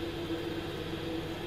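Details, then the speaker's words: Worcester Greenstar 30SI Compact boiler with the case removed, in engineer mode at max fan; steady hard fan roar and igniter sparking but no burner light-off; the boiler fails to light. "that's igniter so that's a spark that's what's trying to like so it'll do that maybe another time"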